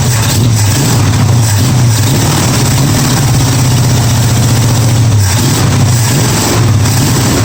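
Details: 1965 Mustang V8 on a test Holley carburettor: rough, uneven running, deep pulse wavering and stumbling with several cylinders dead (about four firing); owner suspects the carb is not delivering fuel, perhaps to one side, not confirmed.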